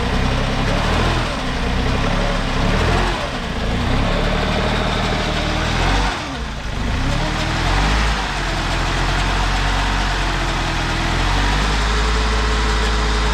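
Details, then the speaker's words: 1987 BMW 528e (E28), sat nearly two years, bad gas and split intake: uneven lumpy idle with loud mechanical din; at least one cylinder not firing, noise suspected from the transmission. "sounds like we've got at least one cylinder that's not firing and there is a horrendous noise coming from what we think is the transmission"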